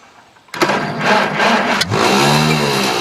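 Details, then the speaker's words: Tractor with leaking fuel and a weak battery: brief cranking, then catches and runs rough and uneven at a fast idle; hard start, owner blames the battery or choke, not confirmed. "Not the best battery in the world. Or choke."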